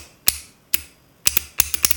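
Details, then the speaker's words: Dead 7.3 Powerstroke glow plug relay bench-tested on batteries: sharp dry clicks, spaced then in bursts, contacts not fully clicking over; smoke appears, short in the control coil suspected, water ingress likely. "huh well it's not actually clicking over I may have messed it up it was clicking all the way it just had a high resistance"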